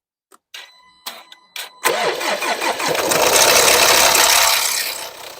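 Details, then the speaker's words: Range Rover Evoque L538 (2012–2018) with the 2.0 Ingenium diesel, started after sitting a couple of days: a loud metallic rattle that takes several seconds to quieten. The timing chain is in bad condition and needs urgent replacement. "so it was it was quite clear the noise um if you heard it the engine was quite loud for quite a good second actually at this stage the chain is quite in a bad condition because it took a lot longer for uh for it to quieten down"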